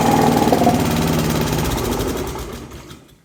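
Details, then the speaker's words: Honda GCV160 engine on a Pubert wheeled brushcutter, after repairing a broken exhaust valve rocker arm that caused lack of power: even smooth single-cylinder beat with no ticking, then wind-down at shutoff; now sounds normal. "suena completamente diferente. Ahora suena como suena un motor de estos normal."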